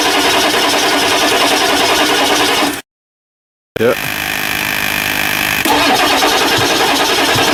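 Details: 1999 Ford F350 7.3L diesel after injector cup replacement, slightly hydrolocked and turned over by hand: long cranking, a short gap, then it catches and runs loud and ragged, heavy smoke, settling into a rough uneven idle.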